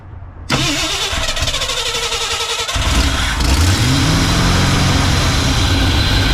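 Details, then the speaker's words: 1968 Ford F100 V8 after 4-barrel carburetor conversion and timing chain install: cranks about two seconds, catches, then runs uneven and hunting as revs climb; vacuum leak traced to a thumb-size hole; vacuum leak. "that is an issue with a vacuum leak somewhere crazy we figured out where our vacuum leak was coming from didn't we old man"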